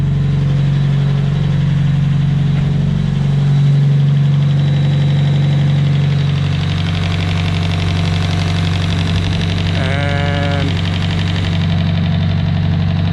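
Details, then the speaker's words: S15 engine just started after replacing a lifter that caused a clickety-clack head noise: steady, even idle with only light, fast injector ticking and no tapping; a squirrely noise persists when cold, possibly from the intake manifold, and fades when warm. "a lot better now i'm just hearing the injectors firing there's still that weird squirrely noise i don't know where it's coming from but when the engine's warmed up it goes away"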